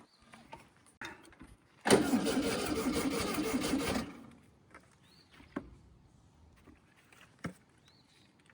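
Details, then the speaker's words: 1968 VW Baja Bug, barn-stored for decades: ragged cranking with uneven firing that dies away, then scattered clicks; engine won't stay running and seems to want more gas, spark lost earlier and points re-cleaned, likely fuel-starved. "Sounds like it wants more gas, but it's such a tiny engine. That's kind of a bad sign."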